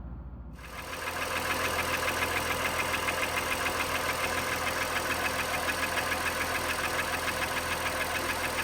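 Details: Honda Pilot after dealership short block replacement (oil analysis showed high aluminum and iron; borescope found cylinder wall scoring): engine fires up and holds a steady, even idle with light regular valvetrain patter and no deep knock. Normal idle.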